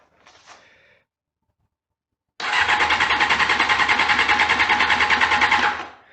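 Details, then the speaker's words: 1988 Honda CBR 600 Hurricane that sat for a long time, being revived: at key-on, a fast, steady clicking of about three per second for three seconds, coming from the fuel pump at the rear; connections already checked, cause unknown. "I don't know if you could hear that but there was clicking and that clicking that's coming from that guy right there so let me direct it right there and try and start it again so that's where that clicking is coming from"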